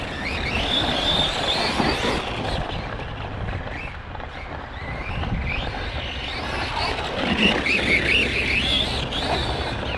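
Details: Kraton 4S RC car running hot laps, about 29.8 miles of track distance so far: high squeal rising and fading over rough driving noise; owner suspects an unhappy bearing or gear in the drivetrain, teardown considered.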